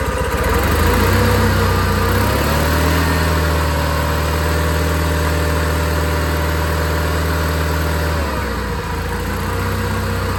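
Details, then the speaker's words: Old John Deere 318 garden tractor after carburetor cleaning to cure surging; even steady idle that picks up smoothly with throttle and holds speed without hunting — runs cleanly now. "Oh man. Hey, that that runs real good now. So, this just need a little bit of carb clean."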